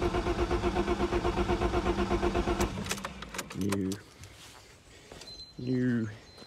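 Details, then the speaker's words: Ford Sierra Estate Mk1 4x4 Ghia 2.8: the starter spins the engine at a steady, even beat for about three seconds but it never fires; crank no start. Owner suspects a faulty cold start injector or a part not seated properly. "so i'm going to give it a crank now see if it will start because notice this it's not really sort of on there properly um see if it'll start if not i'll put that spray some brake clean in there let's try again"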